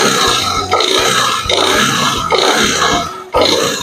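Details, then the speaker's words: Yamaha Nmax scooter engine, smooth and normal at idle but harsh when revved: rough rasp swells with each throttle blip and eases between them, traced to a scored piston and cylinder. "nah ini saat idle suaranya halus ya halus dan normal tapi ketika kita gas suaranya baru keluar kasar"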